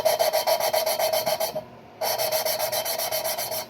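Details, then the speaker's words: 351 Cleveland Ford engine rebuild, new valves hand-lapped into cylinder head seats with stick: rapid raspy scrubbing about four strokes a second, pausing then resuming, growing quieter and smoother as seats mate. "You can hear it getting quieter. I don't know if you can hear that, but you can hear it getting quieter and quieter. It sounds really smooth."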